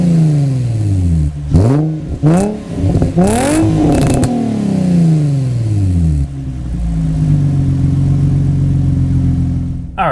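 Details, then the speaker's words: Rebuilt salvage 2006 Nissan 350Z convertible with new exhaust: engine catches cleanly, several quick rev blips rise and fall smoothly, then settles to an even, deep idle; healthy. "let's drop the top and let's fire it up so you guys can hear that new exhaust"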